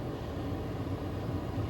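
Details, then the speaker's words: HCALORY 8kW toolbox diesel air heater running about three minutes in, on a roughly 60-65°F day, warm air starting: a steady, even rushing hum with no knocks, rattles or surging; not too noisy, running smoothly. "You can hear the noise of it. It's not too noisy, but it's getting warm."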